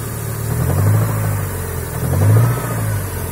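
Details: Toyota Sera 5E-FHE engine: low drone swelling with two throttle blips, faint uneven tapping underneath; engine knock, source not pinned down.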